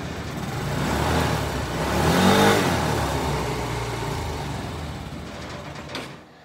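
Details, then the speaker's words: Kymco scooter that had been running poorly, after troubleshooting the vacuum-operated fuel pump/shutoff valve, adding fresh fuel and turning the idle down: revs up smoothly and settles without stumbling; runs considerably better, test ride successful. "yeah and that sounds considerably better see if we can turn the idle down a little bit maybe too much right there No definitely sounds better"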